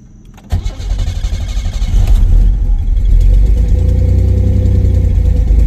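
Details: 1987 Pontiac Fiero GT cold start, in neutral with timing light on number one cylinder before a timing check: starter catches at half a second, fires and settles into a low, slightly lumpy idle with deep even rumble; normal cold start.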